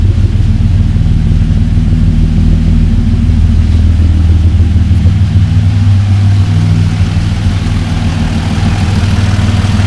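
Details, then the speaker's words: Mk1 Caddy with V6 4motion swap, first start after build, 3.5-inch straight pipe exhaust with a silencer fitted: smooth, steady low rumble at idle with an even beat, no knocks or misses; sounds civilized and healthy. "well all sounds very civilized once I was expecting to be consumed or outer because it's a three and a half inch straight pipe put a silencer on it but that sound quite nice I must admit"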